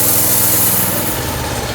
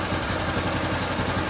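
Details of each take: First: Harbor Freight Predator 212cc engine on a DB30 doodlebug with a faulty carburetor, idle screw nearly all the way in: revs briefly, then sags and dies once the choke is more than halfway off. It won't idle and cuts out at full throttle; carburetor replacement is planned. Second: Harbor Freight Predator 212cc single-cylinder on a DB30 doodlebug kart, just fitted with a new carburetor after it would not idle and cut out at full throttle; it now settles into a steady, even idle with no hunting or surging.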